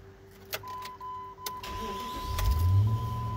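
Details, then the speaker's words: 2002 Jeep Grand Cherokee V8 that stalled at idle when hot, restarted hot after cleaning: warning chimes, immediate start, rpm rises above 1000 without throttle and settles to an even, steady idle without dipping or stalling; normal. "on voit bien le régime moteur sans aucune action de l'appel à l'accélérateur et bien monté à plus de 1000 tours et vient se stabiliser"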